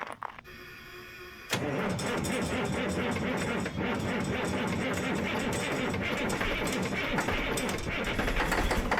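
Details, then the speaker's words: Caterpillar 977H loader, D333 diesel, after cracked head repair, started in freezing cold with jumper pack; catches and roars into loud, rough, hammering run; owner suspects air related, frozen air lines unable to push air to dryer and tanks. "That sounded like a John Deere cold start. I don't know what that is, but it's mad. I think it's air related."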